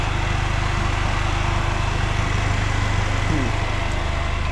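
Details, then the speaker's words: Polaris Slingshot idling in the garage before an oil change: a steady low idle with a loud, airy cooling-fan whoosh. The owner dislikes the fan sound and suspects a rattle or something broken underneath; nothing confirmed. "Not particularly liking the sound of that fan."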